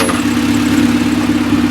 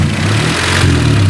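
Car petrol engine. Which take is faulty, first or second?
second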